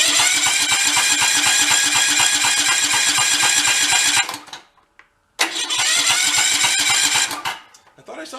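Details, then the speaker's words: About 20-year-old Cub Cadet riding mower, throttle in the middle: starter turns over with even pulses, cuts out and tries again as the engine kicks back against it; sheared flywheel key, smoke near exhaust hints at possible blown head gasket. "yeah see how it fought back"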